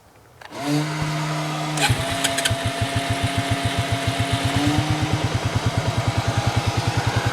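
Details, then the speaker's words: 2002 Arctic Cat 300 ATV, 280cc oil-cooled: it starts and settles into a steady idle, then revs and pulls with even firing and no knocks; it runs great. "Yeah, as you can see, it runs great."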